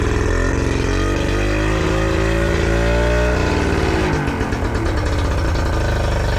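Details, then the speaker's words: Yamaha 40 hp two-stroke outboard cutting out under load: low, lumpy idle with uneven beat shifting partway, blue smoke and unburned fuel in exhaust. "What happens at idle or low speed? The engine runs a little bit rough and has blue smoke and signs of unburned fuel in the exhaust."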